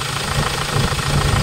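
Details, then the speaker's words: Hyundai Starex diesel, recently overhauled after overheating, excessively noisy at idle: a sharp, rapid rattling knock rides over each firing stroke; injector check shows the number four injector knocking worst, with numbers one and three also faulty. "y so sa mga ganitong problema Ayan oh yung number four na flu injector yan medyo Ayan may back siya"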